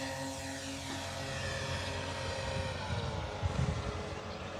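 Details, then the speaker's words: E-flite Commander mPd 1.4m electric RC plane in flight after a crash that broke the motor magnet mount free of the foam: propeller drone with a wavering buzz and uneven shudder through throttle changes, from the loose motor mount. "so sounds like a gaser yeah definitely got a motor mount that's a little bit freed up so I have to take off the prop and kind of see what's going on there"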